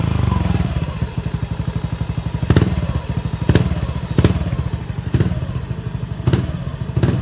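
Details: Honda Beat FI scooter that sputtered at low and high revs, after a new fuel pump giving 43 psi was fitted. The small single revs up cleanly and quickly on each throttle blip, responsive again: normal revving.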